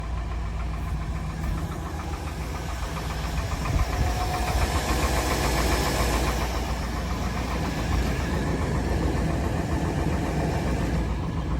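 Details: K1500 pickup engine idling with a rough repetitive knock under the low rumble; owner unsure whether piston slap or crank bearing.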